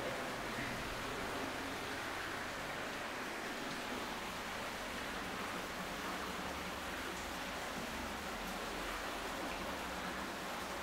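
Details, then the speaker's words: Sewer lift station pipework: steady high-pitched rushing hiss as water leaks back through a failed check valve. "you can hear it yeah you can hear it hissing right yeah so that's pretty good because i don't even know if you knew it was this one"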